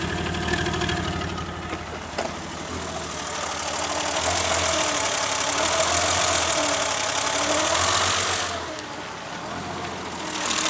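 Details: Engine after timing belt skipped a tooth (earlier two teeth, bending valves): rough, lumpy loping idle, one cylinder dead; turned out the new distributor cap arced near cylinder two, so that plug didn't spark.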